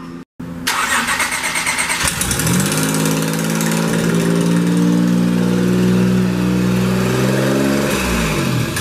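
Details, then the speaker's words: J32 V6 swapped into an EK Civic with a junkyard single turbo manifold, no gaskets fitted, 60-second startup: cranks, catches and settles into a rough, loud idle with raspy, puffing hiss from exhaust leaks. "You can hear all the exhaust leaks, and then we'll turn it off. There will be none. Well, we don't have gaskets, so yeah, there will be the exhaust leaks."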